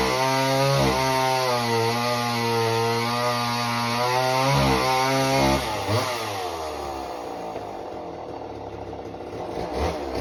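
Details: Homelite Super Mini chainsaw, customer saw that wouldn't run, rev or idle, after idle speed screw turned about a turn and a half: clean steady high-pitched note, bogs slightly cutting a big log and recovers crisply; runs really well.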